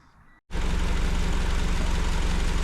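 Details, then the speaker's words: Honda Civic after wiring harness swap, rebuilt engine with decked head, original ignition coils refitted, codes cleared and idle relearn done, previously misfiring on cylinder 2: engine catches and settles into a steady even idle, now running properly. "As you can tell, she's actually running worth a damn now."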